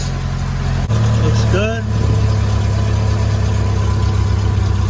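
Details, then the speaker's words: Jeep Wrangler YJ with 2.5 four-cylinder and manual gearbox, started just after a new starter and a fuel filter change, pump primed a few times: a brief stumble, then a steady low hum with no misfires or sputter, a normal idle. "all right so i just changed the fuel filter uh let's start it up and see what happens another pure pump prime few times [Music] all right it's running any leaks"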